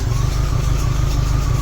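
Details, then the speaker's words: MGB, just after first start following ignition rewiring: engine runs loud and steady with an even low beat, no knocks or misses; normal running. "Yes! It runs, baby. Yeah. That did it."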